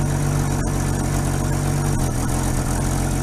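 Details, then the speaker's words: 1950 Chevy custom that sat outside for 21 years, first start after hooking up the battery. It gives a smooth, steady low idle with no knocks or misses, excellent oil pressure, and it is charging. "wow great spark ow yeah look at that it's working beautiful runs wonderful considering it's been sitting here all this time"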